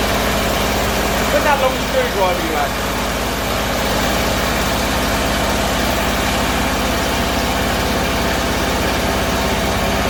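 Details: Bedford CA campervan (Rambo) being revived on a freezing −2° morning: lumpy, uneven idle with a wandering low beat; owner suspects too much fuel from somewhere, cause unconfirmed.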